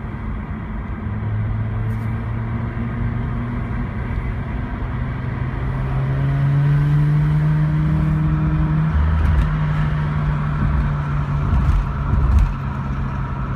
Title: Rx8 misfire